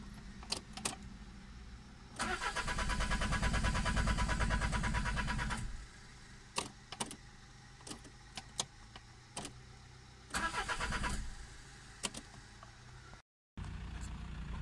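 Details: 2001 Peugeot 306 2.0 HDI diesel with no check engine light and unreadable codes: starter spins the engine evenly for about three seconds, then a short second crank, and it never catches. Crank no-start from a faulty ECU, not mechanical.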